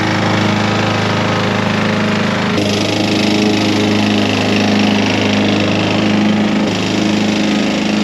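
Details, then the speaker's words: Curbside Honda push mower mowing under load, air filter borrowed from a pressure washer: heavy, uneven knocking through the drone; owner suspects the engine needs a rebuild or a connecting rod is coming loose, not confirmed. "so it runs it mows that is awesome but it has a terrible terrible knock in I'm pretty sure the motor probably be rebuilt or the connecting rods coming loose"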